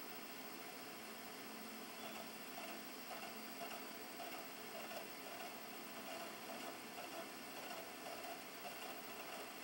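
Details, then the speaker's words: Older Xbox 360 Pro console compared with the Slim for noise: a steady, loud, rushing fan whir with a faint fluttering drive tick, no knocks or grinding. Fairly loud and then it stops; running loud but normal. "hear that very well but it's fairly loud then it stops"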